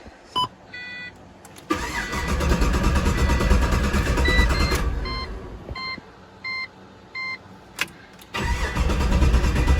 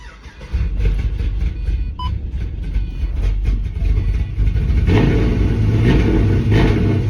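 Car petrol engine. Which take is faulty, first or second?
first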